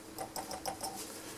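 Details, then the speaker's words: Columbus model 26P valve radio at power-on as rectifier warms, bulb limiter in series: irregular sharp crackles and pops over faint hum from inside the set; intermittent fault, cause not yet found, no stations expected. "There we go. and I can hear some crackling"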